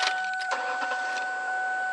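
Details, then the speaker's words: Ford Taurus 3.0: loud steady high electric whine like a bumblebee, around 750 and 1500 hertz, when the key is cycled on; noisy fuel pump. "you can hear the sound and I'm sure if you have a Taurus it's probably doing the same thing a God awful noise it sounds like a bumblebee"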